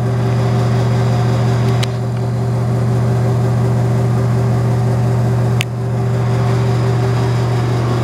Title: Unknown Noisy Exhaust Fan